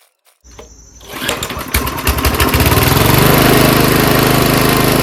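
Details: Old monster snowblower's engine, stored winterized for years, now fueled with gas after a spray start on choke; it catches after a couple of tries and settles into a fast, even putter of about three beats a second, a healthy, normal run.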